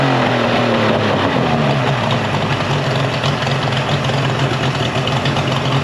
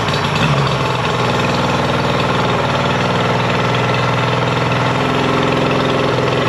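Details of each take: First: Mercury 50 hp three-cylinder two-stroke outboard after a new switch box restored spark and a clogged telltale hose was cleared; steady, even low drone with no dropouts, running cleanly and smoothly. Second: Mercury 50hp two-stroke outboard after a full service and carb sync and link: a flat, lumpy idle with a hollow beat, as if running on one cylinder. Spark is lost; tests show a bad CDI/switch box.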